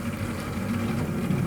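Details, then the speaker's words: Ravenheat 85CSI boiler heating circuit while a fitting is repeatedly undone to bleed it: low steady rumble with an uneven churning gurgle of air going through; an airlock being cleared over a couple of minutes, sounding better afterwards. "can hear the air going. It's sounding. Yep. You might have to do this for maybe a couple of minutes to help get the air out."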